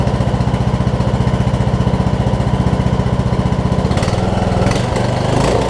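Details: Craftsman T2200 riding mower, 5-6 years old, 19 hp Briggs & Stratton, after cleaning gel-gummed Nikki carburetor that caused surging: steady, even-cadence low putter with no rise-and-fall hunting; normal idle.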